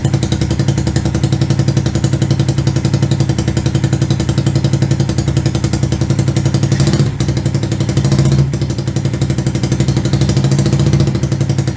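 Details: 125cc CCW Sinnis Heist chopper single after carb float-height adjustment: steady even thump, holding idle without cutting out; engine now runs properly.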